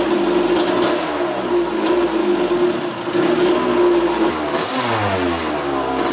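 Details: 1982 Kawasaki KX125 two-stroke after coolant leak repair: steady buzz, pitch climbs and drops cleanly through blips, no stumble; sounds pretty good, no leaks.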